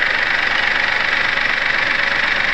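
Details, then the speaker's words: Perodua Viva with unstable rpm and power loss but no fault codes, injectors checked one by one with a mechanic's stethoscope at idle: fast, steady, even ticking; injectors fire regularly, fuel, injector and wiring fine. "Kita bunyi, bunyi dia. Kita cek satu-satu, dia bunyi ada bukan."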